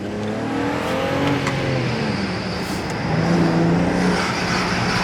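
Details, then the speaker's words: BMW E92 335i after misfire repair (new spark plugs), first drive: engine pulls cleanly through the revs with no stumble, faint rising turbo spool whistle audible inside the car; misfire gone, normal acceleration. "hear i hear the turbo spooling i hear everything inside this car"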